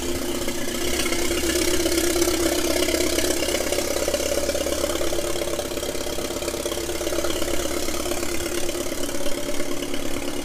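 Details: 1997 Mitsubishi Eclipse GSX 6-bolt swap, long-sitting engine, after rewiring cam angle sensor: catches and settles to steady even idle, constant low drone, only light rattle; first start, running properly.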